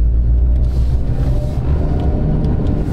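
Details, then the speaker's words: 2010 Dodge Avenger 2.4, about 123,302 miles, at highway speed after front wheel bearing replacement: only steady tire roar and road rumble, no growl or hum; bearings quiet. "no more noise that's good all I hear now is tire noise to be expected"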